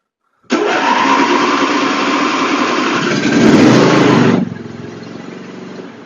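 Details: John Deere LA145 riding mower, 40 cubic inch engine, sat outside all winter, just serviced with fresh oil and filters: quick crank catches at once, revs briefly, then settles to a steady even run; starts cleanly.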